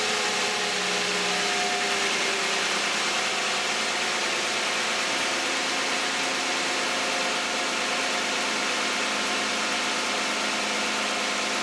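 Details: Cold start idle of a 2010 Toyota Camry 3.5 V6 (2GR-FE) petrol at 152,000 miles on Mobil 1 5W-30: steady, smooth idle with revs easing down slightly; lights and alternator on, no A/C compressor or fan; normal.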